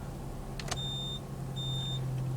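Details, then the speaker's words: 2009 Jaguar XF 3-litre after fitting add-on beepers across both rear indicator lights to replace the failed cluster sounder; engine idling, tested before refitting trim: clear high beeps about every 0.8 s over low steady idle; indicator beeper works. "Well, I can hear that one pretty clearly. Yep, we've got beepers."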